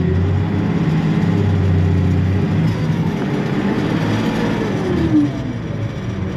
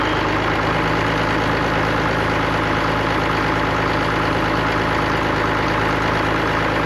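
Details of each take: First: Allis-Chalmers diesel tractor: low idle wavers and flutters instead of holding steady. Owner suspects a bad governor ring and that it will need an injector pump; not confirmed. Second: Allis-Chalmers diesel tractor just started after cracking injectors, running the electric fill pump, heat and ether: steady, even diesel clatter at a settled idle with no misses or knocks; sounds healthy.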